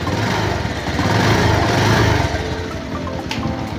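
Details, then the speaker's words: 2014 Kawasaki Rouser 180 motorcycle, starts but chokes when throttle is opened before tune-up: engine lifts briefly, then stumbles and sags with uneven chugging; bogging from dirty carburetor, low float. "Nag-start naman. Ang problema pag piniga mo yung silinyador niya para siyang nabubulunan."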